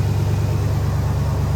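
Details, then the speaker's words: 392 V8 Dodge Durango, about 60K miles, idling with a deep steady even burble after water pump replacement, left running to bleed air from the cooling system. No knock or tick; no overheating afterwards. "You probably can't hear it because this Durango's so loud, but we're just gonna let it run and bleed itself through the system."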